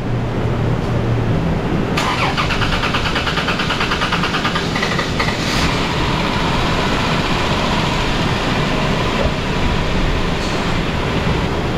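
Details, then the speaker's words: Dodge Caravan (just bought, leaking fluid, low on transmission fluid): after reseating a loose battery negative terminal and building fuel pressure, starter cranks, engine catches quickly and settles into a steady, even idle with no misses or knocks; normal start. "Once we got fuel pressure, fired right up."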